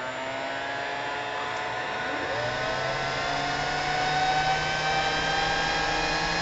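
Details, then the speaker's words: CNC cooling fan on an autonomous temperature-based fan controller, heated toward its 55 °C alarm point: smooth whir climbing steadily in pitch as the fan speeds up, no rattle or bearing noise; normal fan speed-up. "can hear the fan speed accelerating there you guys go that will turn off in a second as soon as this cools down"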